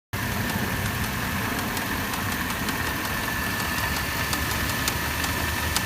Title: LR3 Ticking Noise